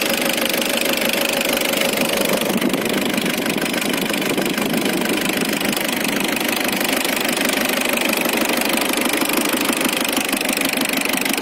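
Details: Isuzu Trooper diesel with DTC 74 (throttle position sensor) also present: steady rattling knock about three beats a second at idle, owner unsure if valve or engine knock.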